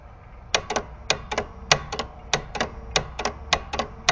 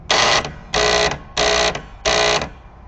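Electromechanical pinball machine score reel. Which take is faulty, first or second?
second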